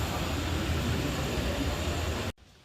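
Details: Yamaha Fazer 250 / FZ25 riding after replacing the sealed chain's master link clip to cure a "tec tec" snapping: even road and engine rush with no ticking or snapping from the chain; normal chain drive.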